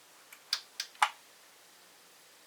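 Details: Pioneer SA-940 amplifier (about 70–75 W/channel, roughly 40 years old) after a recap that included a bad 2.2uF electrolytic in the protection circuit: a few crisp, isolated relay clicks over a quiet background. The protection relay is working normally.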